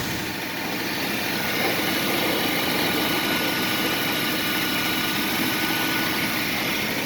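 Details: 1994 Mercury Cougar with blown head gasket, white smoke, oil and coolant in the combustion chambers: loud hissy exhaust rush over an uneven, shaky idle beat; rough running engine.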